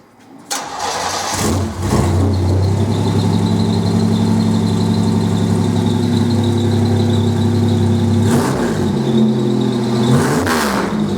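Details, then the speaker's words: 1987 Buick Grand National Turbo, start with the new motor just installed and new gauges, heard from inside the car: a short crank, then it catches and settles into a deep, steady, even idle with a strong low rumble, a normal start and idle. "I finally got the engine in the Buick and she sounds pretty damn mean still got some work to do before I take it for a drive"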